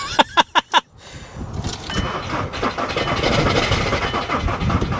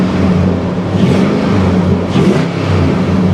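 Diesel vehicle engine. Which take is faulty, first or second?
first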